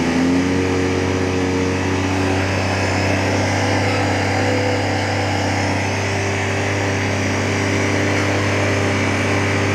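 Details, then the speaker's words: Chaser after a camshaft swap and turbo install, first key turn with the fuel pump fuse removed: a steady starter-cranking drone with no firing and an unchanging pitch, spinning the engine to build oil pressure before the first start. "Moment of truth. We remove the fuel pump fuse. Thibaut will turn the key for the first time to build oil pressure."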